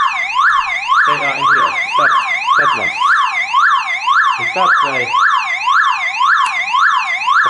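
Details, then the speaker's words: Car alarm siren keeps a loud wail sweeping up and down about twice a second, powered by its internal backup battery, so the siren must be removed. "then I need to move that horn away because it makes sound quite long time because there is battery in inside the system"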